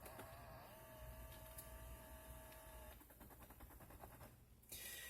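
A quiet, steady electric whir for about two seconds, then soft ticking as the blend flap settles. The actuator is moving normally.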